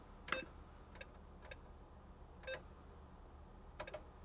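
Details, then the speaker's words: Heathkit H8 computer (1970s), restored with an H8-5 I/O card for cassette I/O. The reset tone comes as a few uneven, long beeps at irregular gaps over a quiet hum instead of the earlier short beeps, a recurring sound issue of unclear cause. "oh and did you notice how that tone was kind of a couple of long beeps instead of the short beeps we heard earlier that's that sound issue coming up again and there was a terrible reset sound"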